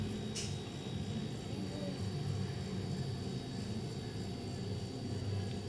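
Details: Mabe refrigerator: steady, even low compressor hum with no knocking or rattling, which is normal running. Earlier it rattled and failed to start or cool; a working compressor should draw 1.5–4 A.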